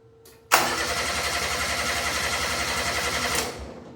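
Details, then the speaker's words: Steiner 230 tractor with Kubota gas engine: starter churns with even rapid beat for about three seconds, engine never fires; screwdriver test shows no spark, no voltage reaching the coil; crank no start. "we do not have spark."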